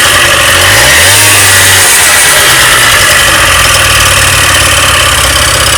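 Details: Honda Dio 27 scooter after fuel pump replacement and carburetor cleaning: the small two-stroke buzzes loud and steady, blipping up and settling back without stumbling or missing, so it runs normally.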